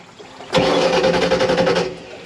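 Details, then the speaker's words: 1986 Shamrock 20 boat with a Ford 302 V8, not started in 3 years. Steady cranking chuff that never catches, while the fuel pump can be heard running. The carburetor bowl is dry, a fuel starvation no-start. "I do believe it is a fueling issue. So stand by. All right. Yeah, it's a fuel problem. We need our bowl is dry."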